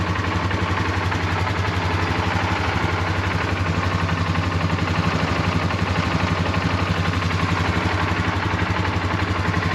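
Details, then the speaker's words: Polaris ATV after repair, coolant refilled, first start: fires up first try and holds a steady, even idle with no knocks or misses; starter sounds good with no grinding, and no leaks. "nothing leaking but you can hear the starter sounds really good no grinding fires up first try looks good sounds really good sounds really nice"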